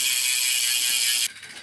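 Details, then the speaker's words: Merida Reacto 6000 road bike, Fulcrum Racing 800 alloy wheels: fast even high-pitched ratchet buzz from the coasting rear hub, then sharp stop; healthy freehub. "The hub of each of these wheels, that's a DT spline."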